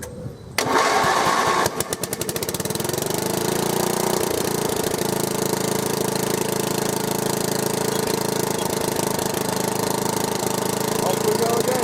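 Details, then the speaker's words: Small engine, pull-started, catches then runs with an uneven lumpy beat and wavering speed; described as very rough, cause not yet found. "He's so rough."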